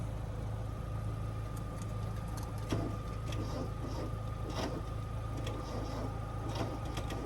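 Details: Vehicle with a dead battery that won't take charge, jump-started from another battery, full tank of gas: dull uneven churning with slow irregular pulses, no clean firing; cranks but won't start yet, catching shortly after.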